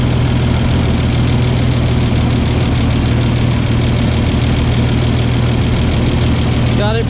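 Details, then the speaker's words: 1989 Toyota FJ62 Land Cruiser straight-six, 291k miles, after un-mushrooming and reinstalling parts and adjusting the valves: steady, even, sewing-machine-smooth idle with no knocks or ticks; normal idle. "but i'm happy to say i think it's running really great"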